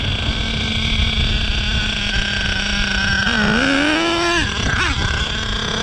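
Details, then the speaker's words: Savage X46 nitro RC truck, three-speed transmission just rebuilt with all-metal gears; engine climbs steadily in pitch with no step, no audible first-to-second shift though one-way seems to work; owner may disassemble transmission to check. "i'm not getting first into second i don't know what's going on i may have to disassemble the transmission"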